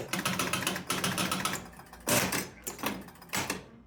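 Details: Jumping Jack pinball machine after cleaning switches on the W relay and a stuck-open bank of score reel switches; rapid relay and reel clatter then loud knocker bangs: normal game start sequence.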